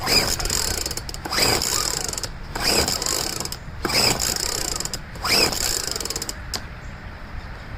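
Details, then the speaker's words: Poulan two-stroke leaf blower, first start after about five months stored drained, cold day, full choke, throttle up, primer bulb short of fuel: five rasping pull-cord cranks about a second apart, engine never catches. "Just have to keep priming it because I noticed there's not enough fuel in the primer bulb right now. I re-choked it again too."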